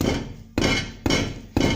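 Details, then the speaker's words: Mazda 3 front suspension: three sharp metallic taps each leaving a tinny buzz as the damaged front brake disc dust shield is struck and rattles; a source of knocking over gravel and small bumps. "Если слышно, он дребезжит. Вот этот звук."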